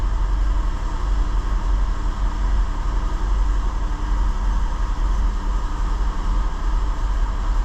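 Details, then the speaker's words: 2006 Infiniti G35, 200,000 km, new spark plugs: deep idle stumbling unevenly, not a dead miss, running a bit rough; P0300 random misfire with bank 2 fuel trims 20–30% positive, bank 1 normal; traced to bad fuel injectors. "since it's not a dead Miss I don't know how well you'll be able to pick that on a camera but surely you can hear that running a bit rough"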